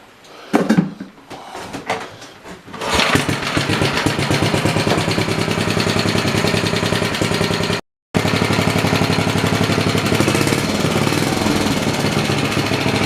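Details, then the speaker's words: 1969 Briggs and Stratton Model 17 7 hp vertical-shaft engine from a Snapper 2650, on workbench, previously non-running, warmed up: quick, steady, even beat with no misses, very little smoke; running normally. "I've let it run here quite a while and it stayed going. Don't sound bad either."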